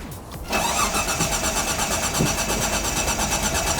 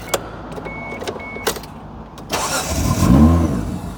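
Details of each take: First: 1995 Mitsubishi FTO GR barn find, unstarted for 10 years, ignition barrel just refitted: the starter cranks in a quick steady rhythm but the engine never fires. Owner suspects the 10-year-old fuel is bad and the fuel level is low. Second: 1995 Mitsubishi FTO GR first started after 10 years, exhaust broken at the back, won't idle yet: engine catches and revs up and down smoothly several times, settling cleanly each time, no knocks.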